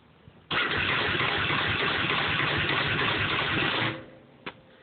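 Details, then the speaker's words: 2000 Yamaha Warrior 350 ATV: about three seconds of rough, heavy clunking churn when the start button is pressed, and it never fires; louder with choke fully on. Starter, plug, wires and battery recently replaced; owner suspects something inside, gear behind flywheel turning backwards. "So she's making a clunking noise when I push the start button. I was wondering if anybody can tell me exactly what that is, or if they've had the same issue."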